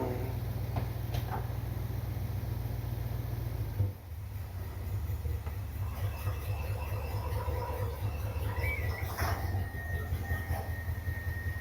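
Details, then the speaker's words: Corvette V8 idling with deep lumpy rumble and a thin high squeal from a squeaky fan belt; engine also overheating, timing suspected too advanced. "All right, we got a squeaky fan belt still."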